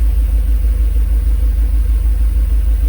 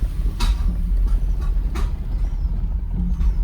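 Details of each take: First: Mercedes SL500 idling during a second Sea Foam treatment: deep, even, steady rumble with a regular pulse, no popping or misses; running pretty good. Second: Mercedes SL500 on old gas at morning start (no fresh gas or Sea Foam yet), throttle being modulated: deep uneven lumpy chugging with surging revs, sounds like a tractor, wants to die; owner suspects the old gas, cause unconfirmed.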